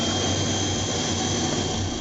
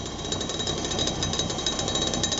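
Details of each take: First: 1986 Clean Burn AH 86 140k BTU waste oil furnace running, pump at about 32 psi with air injected around the nozzle: steady even roar with constant hiss, no pulsing or sputtering; burner firing cleanly, normal operation. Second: 1986 Clean Burn AH 86 140k BTU waste oil furnace, pump about 32 psi, steel target plate heating: fast even buzzing rattle over the steady flame roar; slight combustion rattle, adjustable via air collar and oil/air mixture.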